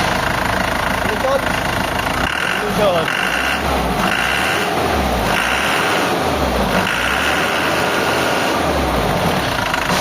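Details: Isuzu 4JB1 diesel that was hard to start, idling after injector repair and calibration (No. 4 and another injector) and a crankshaft sensor replacement: an even, steady low rumble with no stumble or misfire. It now starts on one crank.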